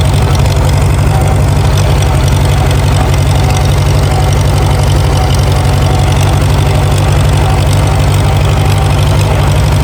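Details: Farmall A tractor, revived after sitting over 10 years with new radiator, fan, belts and hoses; carb fine-tuned, restarted on first crank pull; steady low thump about four beats a second, no misses or knocks; normal idle.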